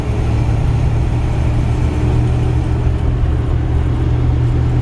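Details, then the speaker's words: 1958 Chevrolet Biscayne two-door, older restoration, 305 V8 with Powerglide automatic, heard from the quiet cabin while driving: deep, even low rumble with no knocks, misses or whine over mild road noise; healthy, normal running. "it's quiet in here it is we just got done driving that 59 chevy truck this you know trucks are just noisier and then driving in here it's quiet the car floats down the road"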